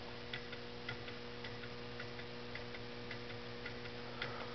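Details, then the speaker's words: Homemade low temperature differential Stirling engine on cooling hot water: soft regular clunks about twice a second, one per turn, over fluorescent lamp buzz; linkage clunking, pivots are JB Weld-filled connecting rod hooks. "can you hear it it does make a clunking sound i don't know if you can hear it over the buzzing of the fluorescent lamps or not"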